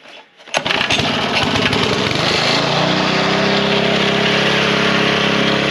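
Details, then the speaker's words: Small single-cylinder engine that wouldn't start after sitting 5 months, after draining a few drops of old gas from the fuel line: a few pull-over chuffs, then catches and settles into a steady, even idle putter. Bad gas was the cause. "Put it back on after just a few drops came out. Really fired right up. Bad gas."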